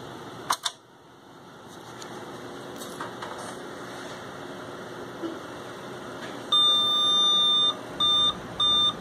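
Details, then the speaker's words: 486 PC with AMI BIOS at power-up; one long beep then two short: BIOS beep code indicating video error (video ROM read or horizontal retrace failure), though the system powered on fine and the card is fine. "Sounds like a video problem to me. It's 2 beeps, so it would normally indicate a problem in the first 64 kilobytes of memory, but yet the system powered on just fine afterwards."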